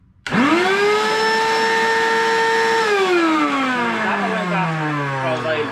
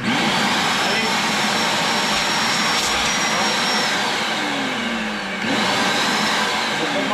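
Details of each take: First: Vacuum cleaner: loud, steady high whine from start-up, then pitch sags and wavers, far noisier than normal; owner suspects a dirty turbine, unconfirmed. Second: Vacuum cleaner after disassembly and cleaning of reservoir to cure loud noise: steady high whirring motor note with even airflow rush, no rattles or scraping; runs normally.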